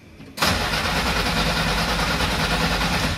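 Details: Long-stored classic car from a warehouse, jump-started with starting fluid being sprayed: a click, then steady starter churning, engine turning over evenly but never catching and running on its own.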